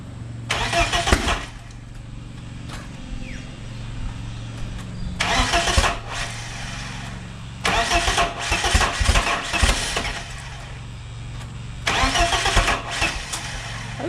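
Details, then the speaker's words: Turbocharged BMW E36 with M44 engine: harsh raspy bursts on firing and revs, then rough idle, loud because the wastegate dump pipe is open and only runs to the firewall, unmuffled. "turbo waste gate dump is bolted up clamped up finger tight should be right let's um see how it sounds with it's got the dump only goes to like the firewall so it's still going to be a little loud"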